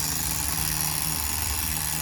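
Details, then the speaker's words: Tamiya TGS-R nitro RC car engine on its second run-in tank, carburetor reset to factory settings from the manual: a high, steady buzz holding even revs without stumbling; running clean. "Listen to that baby go. Now we're at true factory settings."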